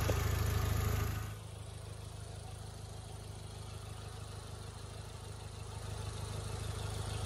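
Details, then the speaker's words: Audi A4 1.8T idling still warming up after coolant hose repair, air possibly still in cooling system: after a brief louder burst, settles into quiet, even idle with steady low beat, no roughness or misfire; normal idle. "yeah as you guys can see it's running really smooth right now it's running just the way it needs to be"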